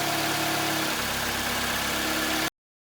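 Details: Mitsubishi Lancer 10 with 1.6 4A91/4A92 engine, CVT, 211,000 km, after a full repair with new piston rings and pistons for oil consumption and piston knock. Recorded from outside, it idles smoothly and evenly with no knock.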